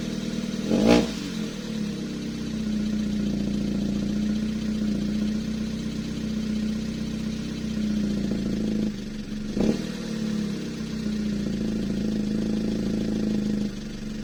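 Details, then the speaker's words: Toyota 2E after installing a 272-duration TRD regrind camshaft, first startup before setting valve clearances: a fast light ticking over a steady idle keeps pace with engine speed. Valve clearances are incorrect. "i need to go listen to this because it's sounding quite a bit valve ticky so it means that the valve clearances are not correct so that can be an issue depending on how much they're out"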